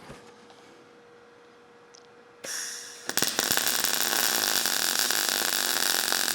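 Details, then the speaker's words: Everlast PowerMTS 141Si 120V welder, MIG, with voltage raised and auto pre-flow. A harsh, uneven crackle with sharp pops and more spatter: voltage set too high, needing faster travel, though the weld looks fine. "Well, I think you could hear it. I think I had it right the first time, but the weld looks fine. A little bit more splatter on that one."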